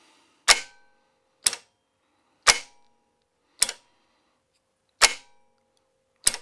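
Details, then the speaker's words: Starter on bench test, solenoid check: six sharp metallic clacks about a second apart with no motor spin as the solenoid throws the drive gear out; solenoid mechanically moving the drive gear properly. "Okay, that's looking great. So we know the solenoid is at least moving the drive gear."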